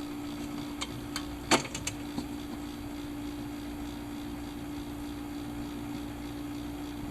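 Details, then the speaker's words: Mid-1950s Airline portable record player, amplifier just repaired, playing a record while warming up: constant mid-pitched hum with crackles and scratching from the needle; worn-out phono cartridge. "alright so that's pretty crappy so what that's telling me I'm gonna shut this off is that the cartridge here is shot"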